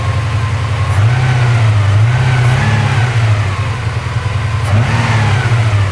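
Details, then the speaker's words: Porsche 928 V8 after gentle idle mixture adjustment, estimated around 1,100–1,200 rpm (tachometer not working): revs rise and fall smoothly and settle with no stumbles; no longer misfiring, sounds good; an exhaust bracket still rattles. "but it's actually uh not misfiring at all now I can read that up and it actually sounds pretty good"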